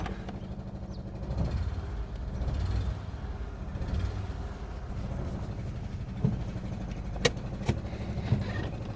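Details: 2011 Renault Sandero 1.6 with misfire, low idle and loss of power, after fitting a new throttle position sensor with a new MAP sensor: a low, lumpy idle with uneven thumps. The shaking is less than before but the misfire and lack of power remain.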